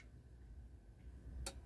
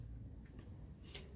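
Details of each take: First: Philips FWM570 stereo after repair of a clicking-relay, no-power fault: one crisp single click over a quiet hum at switch-off. The power relay releases cleanly and the unit stays on its ecopower standby supply. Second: Philips FWM570 stereo that won't turn on: faint irregular relay clicks over a low hum as the relay switches on and off; the Ecopower standby supply keeps collapsing, a suspected short pulling the 5.6 V zener-regulated rail down.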